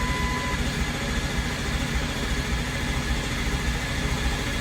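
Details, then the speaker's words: Freshly built diesel in a mud truck on first startup with a 6.4 starter: steady low chugging as the starter turns the engine over with no firing while low pressure builds; long crank, no start, starter left to cool. "oh we got low pressure I'm going let the starter cool"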